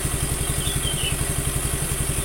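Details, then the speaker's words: Suzuki Nex II scooter after replacing the left camshaft bearing that caused a rough grinding noise: steady, even low thumping at idle with no grinding on top; smooth, healthy normal idle. "ini untuk mesin sudah halus tidak ada suara grok grok grok grok lagi"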